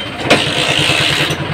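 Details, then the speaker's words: TVS XL 100 after joining a broken ignition-switch wire: quick crank, then the single cylinder settles into an even, steady putter; clean start, and it now shuts off with the ignition. "गाड़ी start हो चुकी है य देखिए जैसे हम enation of करते हैं हमारी गाड़ी बंद हो जा"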